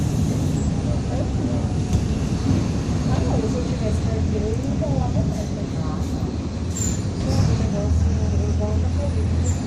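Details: 2007 Grande Londrina 1110 Torino bus on Mercedes-Benz OF-1722M chassis, line 505, recorded 2021, onboard while moving: low steady growl under engine and road noise; rear differential growling.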